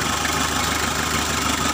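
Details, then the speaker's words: Freshly overhauled Mitsubishi L300 diesel running without radiator installed, coolant starting to warm: steady, even diesel clatter at idle, no misses or knocks; judged normal before shutdown. "Được rồi các bạn, hãy tắt máy đi vì như vậy là bình thường, chúng ta chỉ cần hoàn thiện nốt động cơ thôi."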